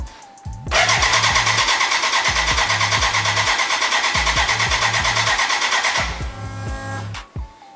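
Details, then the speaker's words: BMW K100 cafe racer, first start after build with choke on: starter churns about three pulses a second for five seconds with no combustion; fuel leaking from exhaust and first injector, smoke from exhaust, spark present; overfuelling/flooding. "when i hit the start button to the beginning it sounds like or something like it it would start but then as you heard uh no no sound of like like combustion at all and i have a big leak of fuel under my exhaust it's coming out of the exhaust so this is kinda over floating with fuel which is not good"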